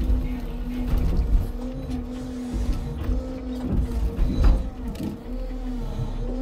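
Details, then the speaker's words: New timber-truck loader crane (Scania log truck) loading birch logs: a steady low-pitched squeal holds over the hydraulic pump drone while the crane works, an unexplained noise from the new crane; the hydraulic oil also makes a snoring sound. "Když pominu ten příšerný kvílivý zvuk, pak je tu jeden ze zvuků , který se mi na tomto novém jeřábu opravdu líbí, je to něco jako chrápání, ten hydraulický olej"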